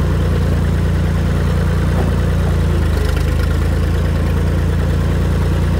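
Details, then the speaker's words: Tractor after installing new Tractor Supply muffler with welded support hanger, replacing one rotted off at the weld; steady even low beat, muffled exhaust, no rasp or leak, much quieter; normal running. "tell the tractor's a lot quieter."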